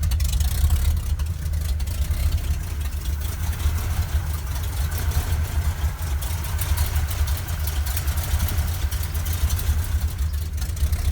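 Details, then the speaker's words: 1971 Ford crew cab with freshly rebuilt 352 FE (new cam, lifters, bearings), headers and open glasspacks, cold: lumpy V8 idle with a faint quick ticking from exhaust leaks where the headers don't seal well. "Got a couple exhaust leaks, of course. Go figure. Those headers aren't really sealed that well. You hear that ticking sound."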